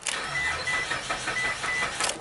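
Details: 2006 Mitsubishi Galant V6 crank no-start, scanner initially would not communicate: steady even cranking that never catches, no fuel pump hum heard, battery getting weak; no spark or no fuel suspected, not confirmed.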